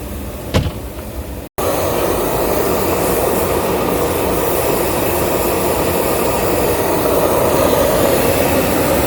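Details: Engine started after EGR cooler cleaning, reassembly and coolant refill: catches and settles into even, steady hum with no knocks or misses; normal idle after repair.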